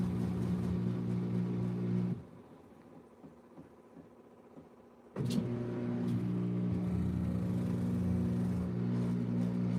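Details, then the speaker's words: Washing machine running a smaller load full of suds: a low motor hum labours, drops away for about three seconds, then surges back with steady tones. The belt slips under the heavy suds load. "It's stopping quickly because it's full of suds. Oh shit. Do you guys hear that? The belt was slipping."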